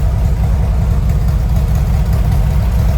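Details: 1970 VW Westfalia flat-four with new Weber 40 carbs and new engine-bay parts, running with 50 psi oil pressure and 4 psi fuel pressure: firm, steady idle with an even beat and no ticking or misfire; normal idle.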